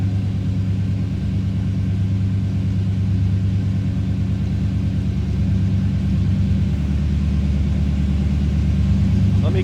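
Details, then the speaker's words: 1942 Ford Super Deluxe Tudor with rebuilt flathead V8, Edelbrock aluminum heads and headers, idling on partial choke: smooth low burble with even firing pulses, no misses or knocks, idling a bit fast; healthy flathead. "Door closes nicely. Let's listen. Sounds like a flatty."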